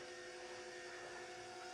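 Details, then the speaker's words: Cummins-swapped 2016 Jeep Wrangler JKU, first fuel prime after two years, lines temporarily routed: electric lift pump gives thin strained whine with fixed tones and hiss; owner suspects it is pumping air through the system. "oh she's she sounds bad maybe it's oh it's probably pumping air through everything so we're just going to let it run for a minute"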